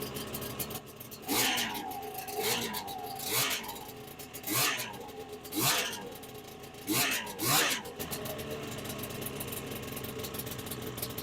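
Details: 1995 Ski-Doo Formula S 380 fan-cooled two-stroke snowmobile, not run in a year or so, running after priming: crisp rasp rising and falling in quick repeated throttle bursts, picking up cleanly each time and running healthy.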